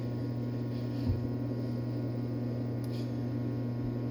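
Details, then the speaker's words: Trio-Tech G489-2 8DS dual-chamber pressure system in fluid soak, about 6 minutes left in the cycle: only steady low electrical hum, no valve clicking to maintain pressure, so the right-hand chamber system is holding tight. "The right-hand side, we're up somewhere around 6 minutes left, and we don't hear that one clicking at all, so the system's fairly tight."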